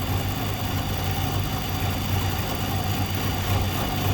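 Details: 2014 Nissan Altima, believed 2.5 L, with P0014/P0300 and occasional start-and-stall: uneven, shaky idle with irregular low pulses and stumbles. Exhaust cam stuck out of time.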